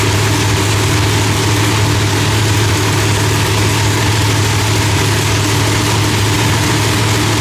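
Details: Loud, steady, deep V8 idle with an even low rumble and no pops or misses, after the distributor trigger was switched from rising to falling to cure fireballs; timing was about 6° off; new heads, idle still being fine-tuned.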